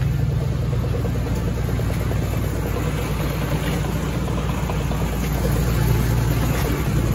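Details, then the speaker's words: 2002 Chevy Silverado 1500 4x4, on a lift, turning in neutral: steady drivetrain rumble with a loose, irregular click a few times a second, first thought to be the transfer case; diagnosed as a bad driveshaft U-joint. "back in neutral um uh all right there we go there it is bad you joint"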